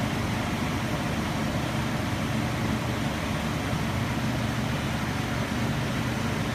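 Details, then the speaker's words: 2003 Nissan Frontier 3.3L V6, 5-speed manual, 170,000 miles, after new distributor cap, rotor button and plug wires: even, soft hum behind steady hiss, no lumpiness or stumbles; previously lumpy, now idles smoothly. "Man, that sounds a lot better. Like it's supposed to. Yeah. It's not lumpy like it was."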